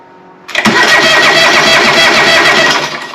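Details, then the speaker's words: John Deere 425, sat for a long while, cranking with hard-start relay: quick even cranking for about two seconds, dies away without catching. Later traced to fouled spark plugs and a fuel cut-off solenoid on the carburetor. "I don't know if this will fire up right right away because it's it's been sitting for quite a while"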